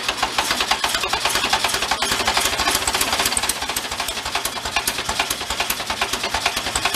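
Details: 1973 Karmann Ghia barn find, air-cooled, just revived, at idle: crisp regular metallic knocks about eight per second. Internal knock, cause not yet pinned down.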